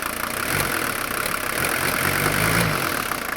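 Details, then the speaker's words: 1980 Mercedes 300D non-turbo 617 diesel engine, about 90,000 miles since rebuild: starts easily and idles with a steady, even, healthy diesel clatter, no misses or knocks; normal smooth idle. "Starts up like you can't believe, and look at how smooth that idle is. And it has that nice, really nice, healthy sound at idle."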